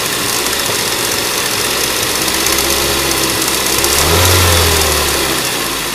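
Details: Ford Duratec HE 1.8 engine: fast light tapping over the idle that quickens with a short blip of revs; top-end tick, source not pinned down.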